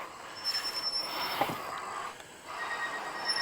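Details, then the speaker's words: Jansno X50 electric bike braking downhill after a long hill climb: a high, thin squeal comes in waves, rising and fading with lever pressure, brake squeal that the rider says later went away, cause unknown. "You can hear these these brakes trying to stop. Oh, something didn't sound right."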